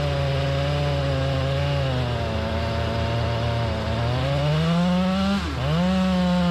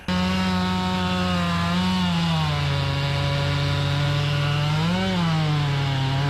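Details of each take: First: Chainsaw with 28-inch full-comp bar cutting hard white oak; revs high and strong, pitch dipping and recovering under load; crank bearing failure. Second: Chainsaw with 28-inch full-comp bar, chain filed aggressively, cutting hard white oak: steady high buzz dips slightly as the bar bites and recovers at once, pulling strongly; normal under load, minutes before a crank bearing cage failure.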